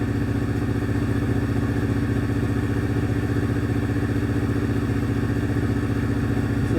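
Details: Engine idling during live misfire-data scan after starting: steady, even idle beat with no skips or stumbles; not misfiring.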